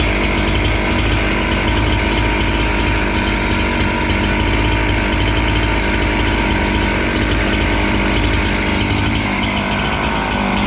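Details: Husqvarna 268 two-stroke chainsaw, which stalled once warm and would not restart, cutting after air intake check: a strong, steady scream that holds revs through the cut without stumbling or dying. Normal running under load.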